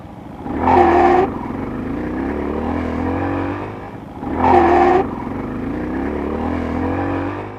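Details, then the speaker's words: Motorcycle in second gear pulling away on a hill with gas and a quick clutch release: two short rising screeches over the revving engine. Owner suspects a damaged clutch, not the chain; not confirmed. "okay I heard that sound again and it happened when I was in second and I gave a gasp I think my clutches [ __ ] up"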